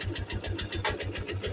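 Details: Yamaha Jupiter MX that smokes and burns oil: a single-cylinder idle with a hollow tok-tok knock on every beat, about nine a second. A loose, worn piston with play in the bore is slapping.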